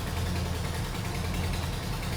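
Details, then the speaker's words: 1971 Plymouth Hemi Cuda idling after a start from dry carburetors. Deep lumpy idle with a sharp puffing tick on each exhaust pulse; exhaust manifold leak, the manifold is curved and needs machining flat, then refitting without gaskets as the factory did. "and you can hear that nasty exhaust leak it's the manifold it needs to be needs to be machined flat again"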